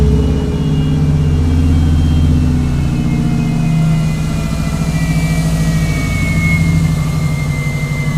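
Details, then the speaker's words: 1994 Subaru Legacy Turbo wagon after a 5-speed manual conversion, just started: steady, low, even rumble with slight speed drift as it warms; normal idle while the ECU relearns idle over 10–15 minutes. "going to relearn its idol we got to let it warm up let it idle for like 10 to 15 minutes"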